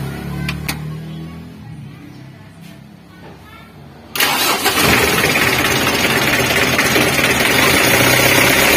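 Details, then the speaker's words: Mitsubishi L300 diesel after replacing worn timing belt that caused rough foreign engine noise, plus new fan belt: engine catches at once and settles into even diesel clatter with no slapping or knocking; normal idle. "Untuk penyakitnya sudah sembuh ya, karena untuk posisi timing bellnya juga sudah kami ganti baru."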